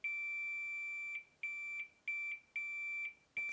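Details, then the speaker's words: Zoom F1 field recorder's stock lavalier mic cable tested with a multimeter on the tip: continuity tone cuts out in uneven bursts; a torn signal wire causes intermittent contact and crackling. "it's intermittent and that's why it's making that crackling so unfortunately this is definitely faulty"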